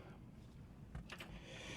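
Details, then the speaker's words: 1966 Corvair Turbo convertible with Mikuni carb, cold start at 59°F, key on, out of gear: click then faint steady high whir of the electric fuel pump priming normally, not clicky. "Turn on the key. Hear the electric pump. It's not a clicky clacky, but you can hear it."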